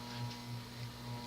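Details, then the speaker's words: 1983 Hunter/R&M Original Reverse-aire 38" ceiling fan, model 22290, with a 2-speed oil-bath shaded-pole motor, starting on low: a low hum with a buzz swelling and fading about every half second; run dry, worn shaft lets the rotor sit misaligned in the stator. "that it's the cyclic buzz of doom basically that's that's the sound of magnetic flux and the motors they meaning basically what this is is that the rotor is off balance is off kilter it's not quite aligned properly with the rotor or with the stator"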